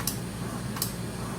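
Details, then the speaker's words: Philips patient monitor after NIBP repair: cuff inflating with faint pump hum and two sharp clicks about 0.75 s apart as the NIBP solenoid valve switches and releases, working normally. "It's inflating and there's a clicking sound, meaning the solenoid is working. So, it's going to work now."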